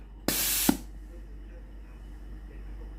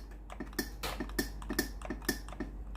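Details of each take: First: Philips GC9231 steam iron being repaired for weak steam; after the boiler heats and the pump runs, five sharp, strong, even half-second steam bursts show the water valve and boiler are normal. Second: Philips GC9231 steam iron, fully warmed with ready light steady: pressing steam gives quiet sharp water-valve clicks a few per second but no steam hiss at all; boiler thermal fuse likely blown, fuse later replaced.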